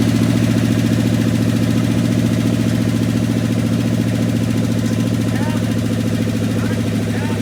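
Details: 1969 Dodge W300 Power Wagon with swapped-in 440 big-block V8 on open headers, first start after sitting, carburetor due for replacement: loud, even idle with a steady deep pulse, no tapping, knocking or chirping; sounds healthy.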